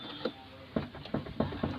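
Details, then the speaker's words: Hyundai i10, right front wheel rocked by hand: irregular hollow knocks, about five in a second and a half, from play in the right lower arm ball joint; complaint is a rattle over bumps, humps and rough roads. "ആ lower ആം ball joint play ആയിട്ട് ആ എൻഡിൽ കിടന്ന് അടിക്കുന്ന സൗണ്ടാണ് ആ കേൾക്കുന്ന sound."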